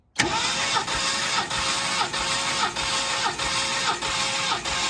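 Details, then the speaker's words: 1969 Mercury Cougar XR7 convertible V8 compression test, throttle held open, cylinder 5: starter cranks steadily with even pulses about every 0.6 s, no skipped strokes; gauge reads 192 psi, strong compression. "Okay. Wow. Holy moly. 192."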